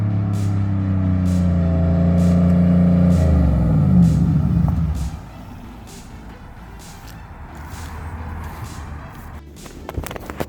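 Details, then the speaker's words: Car (Mustang per uploader handle, V8 per sound) after heads were pulled and rebuilt, about half an hour of driving, given some throttle: strong clean pull through the revs, even lift-off and cruise, no knocks or misses; normal running under acceleration. "Everything is rolling fine, and it's running amazing right now. Been giving it a little juice."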